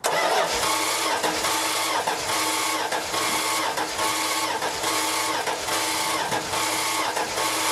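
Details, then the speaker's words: 1971 Dodge Dart cranked with oil pressure up while checking fuel delivery; owner is chasing an engine vibration: slow, labored cranking that swells and fades about once a second without firing; abnormal cranking noise, cause unclear. "so when when it cranks it sounds a bit funny this cranky"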